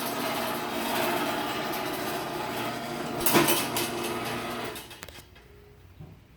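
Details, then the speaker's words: Sears chain-drive garage door opener after new sprocket installation: motor drone with a loose, uneven rattle following chain travel; the trolley rattles on the rail. "You know what, trolley rattling is annoying, so I'm going to disconnect the trolley and run this without."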